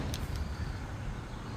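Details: Stand electric fan running smoothly at medium (number two) speed after replacing the whole armature, which had only hummed without turning: steady, even low whoosh and hum, normal operation.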